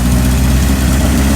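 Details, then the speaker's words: 1978 Kawasaki KZ1000 LTD four-cylinder with Kerker header, cold on choke, fresh oil and filter: deep steady low rumble with even beat, no knocks or rattles; normal smooth idle, no motor work needed. "Bike sounds nice. Got a Kirker header on it. It needs a restoration, but it would be a great project because you won't have to do any motor work to it."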